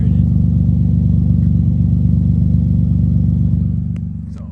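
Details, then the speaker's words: $500 Infiniti G35 with newly installed dual-to-single exhaust, warming up at idle: loud, raspy low pulsing about four beats a second, louder than stock; Y-pipe hanging open, exhaust leak there. "the wide pipe is like hanging open and that's where most of the sound is actually coming from right now"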